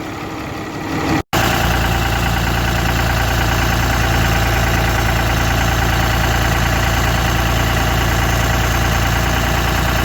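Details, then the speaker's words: 2013 Ram 3500 Cummins diesel after cylinder head replacement (driver overheated it): steady, even low clatter at idle after a brief dropout, no misses or knocks; no pressure or boiling even at high idle; small oil leak noted; runs good. "all cleared up no pressure even under high idle no boiling Run's good"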